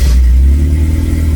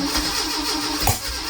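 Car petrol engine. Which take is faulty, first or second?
second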